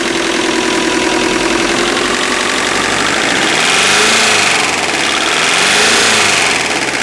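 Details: Subaru EJ25 flat-four at idle: a steady rapid knock of about three a second over the engine note; owner unsure whether it is piston slap or rod bearings.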